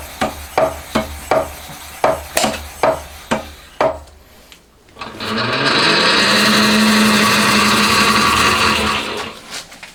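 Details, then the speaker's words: Homemade cylinder hone on a milling machine, used to bore a Honda Monkey engine cylinder, with the vibrating joint removed: after some tapping it runs as an even, steady grinding hiss with no chatter; the stones are cutting cleanly. "今度はいい音ですね。特にビビりもなくスムーズにいってます。主に聞こえてくるのは砥石の処理音だけでいい感じですね、これは。"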